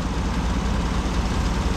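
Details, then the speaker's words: 2017 Chevy Silverado High Country 6.2L V8 (R-1234yf) after replacing AC compressor, condenser and expansion valve: steady even idle with AC compressor running during recharge, pressures about 57/200; no knocking, squeal or grinding, normal compressor sound. "Let me go see what it feels like on the inside, because I do have the compressor running. Pretty cool now."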